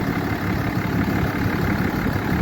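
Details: 2012 Ram 3500 6.7 Cummins diesel idling after replacing a broken belt and a water pump whose pulley had play and did not spin freely; steady, even low rumble with no knocks, squeals or misses, running cool with no leaks; normal idle.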